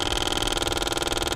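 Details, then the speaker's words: Ford C-MAX purge control valve commanded with the mic held close: rapid even clicking, about twenty a second, loudest around 50–60% duty, normal operation. "up you can hear the clicking it should be louder at about 50 60 percent and then you'll start getting quieter this is because at 50 60 will open and close about at the same time amount of weight"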